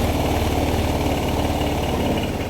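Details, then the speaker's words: Honda PCX 160 that stalls when hot, fuel pump, injector and plug already replaced, check engine light on: cold engine idling with steady slightly uneven putter; CKP sensor suspected, later replaced with ISC cleaning and ECU reset; stalls when hot. "Kaso, ang nangyayari ito mga boss, kapag mainit na, doon siya nag-shutdown. So, may power yung motor, pero makina, patay."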